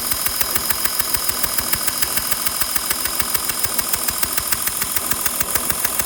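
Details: Porsche Cayenne 2012 3.0 diesel idling with a sharp, very regular tick about twice a second, steady with the engine; sounds like a small exhaust leak puffing. Exhaust leak suspected, not confirmed.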